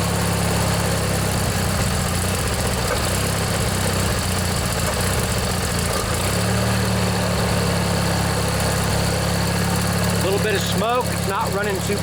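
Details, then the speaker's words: Old Montgomery Ward MTD riding mower, vintage Briggs & Stratton 16 hp flathead opposed twin, just started after a worn starter motor was replaced, unused one to two years: steady even low chug, no misses or knocks, water from muffler. Normal running. "and it runs good glad to hear that i think that was the problem folks just that old starter motor there was just worn out"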